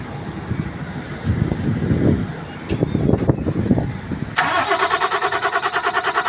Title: ENGINE HARD STARTING (PUMUPUGAK-PUGAK ANG ANDAR)TADANO CRANE.PNR1